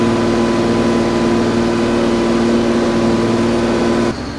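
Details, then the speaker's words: Allis Chalmers 210 tractor, freshly overhauled diesel during break-in with fresh fuel and new coolant: steady dense drone under load at full throttle, pyrometer about 1,000, oil pressure 37 psi, coolant just under 170°F; healthy. "We'll go on up full throttle. About 1,000 on the pyro. Yes. About 37 psi oil pressure and just under 170 on the coolant temp. This is full throttle."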